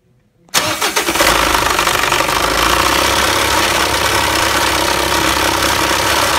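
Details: Mitsubishi L200 engine fires up and settles into a rough idle with a rapid knock, about four per second, tapping over the running sound.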